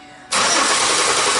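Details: 2005 Chevy Impala that stalls occasionally: even starter cranking that never catches while a missing cam sensor signal is suspected; crank no start, later traced to injector and cam harness problem.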